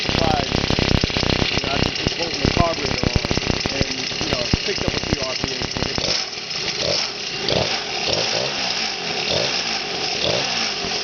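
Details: X7 midbike with stock 49cc two-stroke weedeater-style motor on a stand, revving; buzzy crackle climbing and dropping with throttle, steady even firing; revs limited because out-of-true rear wheel causes vibration; healthy.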